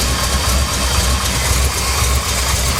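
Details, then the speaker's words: 1982 K30, 454 V8, 4-speed manual, after pulley and belt work to cure a bad belt squeal: loud, slightly uneven idle of about two beats a second, no squeal, running a little rough. "but here you go no more squeal maybe I can drive her around a little bit more now"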